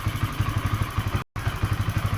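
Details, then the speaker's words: Honda CBR 150 LED (new model) idling with stored fault code 12 (injector problem): quick steady single thumps with slight unevenness and jerk, rough idle; owner suspects poor pulser socket connection, unconfirmed. "Nah, di sini kayak ada nyendal-nyendal gitu loh mas bro. Kayak langsamnya ini di sini kurang bagus."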